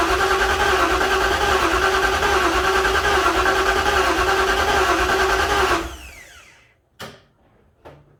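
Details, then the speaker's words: 1956 Ford F-100 on its first start attempt with a temporarily wired ECU, cranked to build oil pressure through a remote oil filter reservoir: steady, even starter whir at about three turns per second with no catch. The starter works; normal cranking. "I can see it's going to take a while to crank it to build up oil pressure completely. So I'll crank on some more here. But that's good, I'm happy, at least the starter's working."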